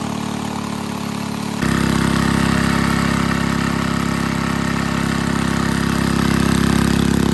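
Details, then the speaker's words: 1951 Briggs & Stratton 6B-SF small single-cylinder four-cycle gasoline engine, 1.75 HP, rated 3600 RPM, barn fresh, run with air cleaner on: steady fast even beat with rising hum; owner thinks it runs a little fast, no tachometer. "took her a little while to wake up but when she did she's running pretty good well i don't have a tachometer to check the rpms but it sounds to me like it's running a little fast"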